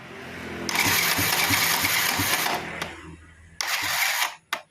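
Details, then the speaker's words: Honda Supra Fit motorcycle with battery at about 14 V and normal starter switch/bendix: slow, labored cranking at roughly three chugs a second in two short bursts; weak starter motor from worn-out brushes and a loose magnet. "Nah, berat ya kondisinya berat, Kang Bro."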